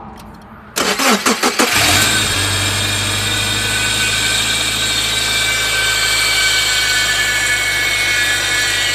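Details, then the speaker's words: 2002 Subaru Forester at startup: the engine settles into a steady idle with a constant high, rough whirring chirp over it. Belts are possible, but the usual culprit is a worn idler pulley bearing. "So if your Subaru sounds like that, it's one of multiple things. It could be something up with your belts. More than likely it's going to be one of your pulleys, and usually the culprit is that one right there that's attached to that little bolt. It's called your idler pulley,"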